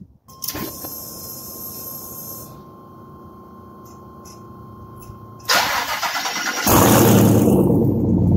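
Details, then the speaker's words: L83 V8-swapped El Camino SS after replacing header gaskets: after a chime it cranks and fires into a loud, raspy, uneven roar; owner admits an exhaust leak remains. "you know if you know cars exhaust leak ain't really too much at night but i mean i got to get that nipped in the butt"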